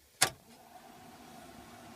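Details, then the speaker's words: VE Valiant build after the fuse-blowing red wire was disconnected: a switch click, then a quiet, steady whirr from the heater blower fan that holds even. Fan working normally. "Fans working. Nice."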